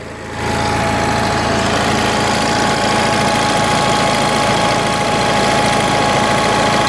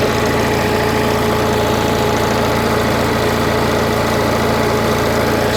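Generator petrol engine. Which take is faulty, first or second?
first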